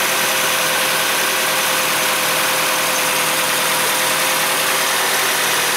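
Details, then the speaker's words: 2004 Nissan Frontier 2.4L after a valve cover leak repair and new spark plugs: even, steady idle with a smooth airy hiss and no stumble or skip; runs cleanly with no misfire. "well it's it's done the plugs are in it sounds good it doesn't sound like it's missing"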